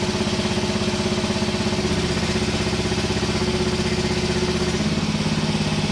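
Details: Hinowa tracked minidumper gasoline engine after repair and reassembly, even, steady thumping idle at about four pulses a second with no knocks or misses; running smoothly and healthy.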